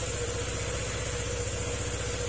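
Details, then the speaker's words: Honda Click 125 scooter after repair of a seized crankshaft that stopped the magneto turning and prevented starting: low, even idle putter with nothing knocking or scraping; engine very quiet, though the scratched block is suggested for replacement. "Yan, tahimik na tahimik yung kanyang makina."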